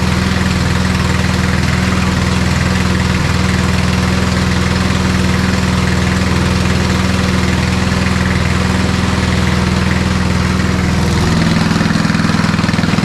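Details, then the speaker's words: Old MTD Snowflite 826 snowblower, 8 hp, 26-inch cut, electric start, carb good, running off full choke after warming: steady, even low drone with constant beat, no misses or knocks under light load; normal running. "carb seems good don't like full choke on after it runs a little bit"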